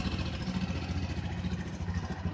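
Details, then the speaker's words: Yamaha Jupiter MX 135 (SOHC) after 4 years of use: idle is uneven and lumpy, pulsing irregularly instead of settling; owner unsure of cause, wonders if it is the SOHC design: rough idle. "Suaranya pada saat langsamnya itu kasar ya."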